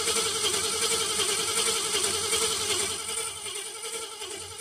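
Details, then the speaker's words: Ford Fairlane cranking after fuel pump swap, cleaned tank filter and new coil; 6-volt ignition and voltage regulator tested good; fast even starter whirr, about two to three beats per second, engine not yet firing. "so I'm going to crank it for a bit here uh and see what it what it does with pump and fuel"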